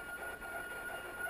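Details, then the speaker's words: Refrigerator: steady high-pitched whine over a quiet hum, like a faint siren that doesn't let up; abnormal refrigerator whine, cause unknown. "I don't think refrigerators are supposed to make that kind of noise."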